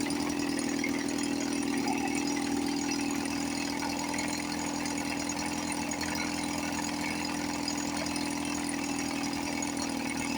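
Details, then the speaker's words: 1954 Johnson 5.5HP outboard, running after 60 years with rebuilt carburetor, reinstalled magneto and heavy oil mix; even, steady two-stroke putter at idle, no misses. Normal idle. "This one sounds really good."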